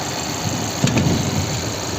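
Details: 2019 Chevrolet Equinox after replacing the high-pressure fuel pump pressure regulator that caused delayed starting: steady, even idle with a smooth low rumble, no misses or knocks; now starts easily and runs cleanly.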